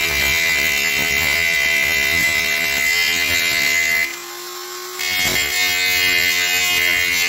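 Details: Parkside PGS 500 A1 die grinder, 500 W, 220 V brushed motor: high, steady motor whine with a brief pitch dip as the bit bites under load, then it recovers; running normally.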